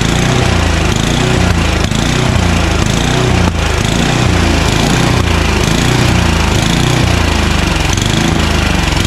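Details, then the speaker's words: Craftsman 29" snowblower, 9HP Tecumseh (Snow King), sitting unknown time, first pull on choke at full throttle: engine hunts up and down about once a second instead of holding steady; surging probably from a dirty carburettor, needs cleaning. "uh it surges because the carburetor is probably dirty so it needs a quick and dirty"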